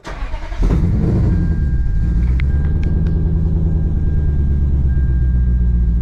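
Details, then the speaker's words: Supercharged Lexus IS F, first start after install: engine catches and settles into a rough, uneven, lumpy idle like one cylinder dead; misfire traced to a disconnected coil on one spark plug. "but it sounds like it's misfiring, like a whole cylinder is not fucking firing."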